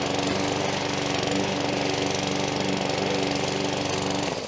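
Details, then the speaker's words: New boxed DIY-store lawn mower doing a test cut straight out of the box: steady dull, flat drone that doesn't pick up under the cut, sounding a little underpowered compared with a dealer-tuned machine. "these two here sound like they're a little bit underpowered coming straight out of the box, whereas this machine here has been fully tuned, ready to use."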